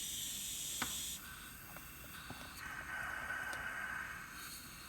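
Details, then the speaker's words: Blow-off/diverter valve on a test rig, installed the proper way and pressurized to 20-30 psi: a steady airy hiss. The diaphragm does not seal, so air leaks past and the valve won't hold pressure. "here the diaphragm on this thing is not even voiding pressure at all"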